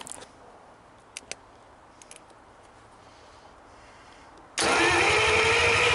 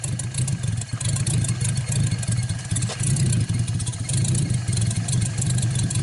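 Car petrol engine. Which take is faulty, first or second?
first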